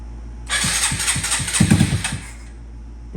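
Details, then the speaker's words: Honda Grom with an original Grom engine swapped into an SF Grom, on a jump box, cold; small single cranks with uneven chuffs and weak pops that struggle to catch, idle then not dropping; hard cold start. "what did we screw up there he goes just cold start light there it goes when you don't have the big Val the F Bros just have issues cold started"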